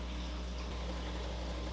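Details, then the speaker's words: Aquavitro Sentia aquarium dosing pump filling its line to purge air before calibration. Low steady motor hum with a soft watery churn and no knocks or stalls; running normally. "I hear the doser working."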